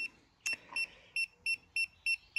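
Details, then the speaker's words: Segway Ninebot ES (owner thinks ES3) electric scooter, bought cheap: after power-on, short high beeps about three times a second warn of error code 18, motor hall sensor fault; owner suspects controller or a loose wire underneath. "but you can see it's giving me an error code 18"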